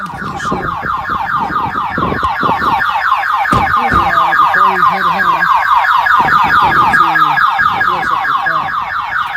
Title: 1997 Pontiac Firebird V6 Reveal Part 3 - Car wont start because of alarm system - MUST UNLOCK